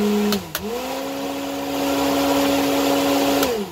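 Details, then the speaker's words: Polaris Ranger UTV cab heater blower, owner-installed under the dash, switched on with key on; spins up to a smooth steady hum, holds without wobble or rattle, winds down cleanly, lots of air and heat: normal blower operation. "And that thing puts out quite a bit of air, quite a bit of heat."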